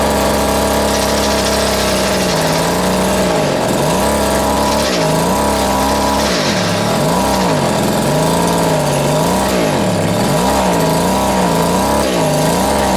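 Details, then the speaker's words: Vintage Echo two-stroke strimmer on its first run after reassembly: buzz swings up and down in pitch every second or two, rough and surging. Owner thinks the carb needs a little adjustment. "I'm doing pretty well or it needs a little bit of adjustment on the carb there I think so"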